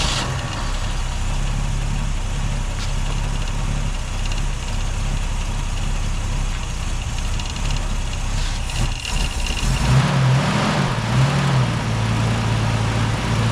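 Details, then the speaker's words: Holden UC Torana idling off a temporary fuel cell, original tank fuel pump disconnected: steady low even idle, slight rise in speed near the end; runs smoothly and sounds healthy. "I just drained about half a liter of fuel out of my fuel cell here and the engine runs. So, all in all, I'm really happy about it."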